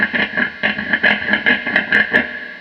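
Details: Vintage Telecaster neck pickup, unpotted before wax potting: an Allen wrench tapped on the bobbin gives sharp amplified clacks, about four a second, each ringing with a bright metallic squeal, showing a microphonic pickup.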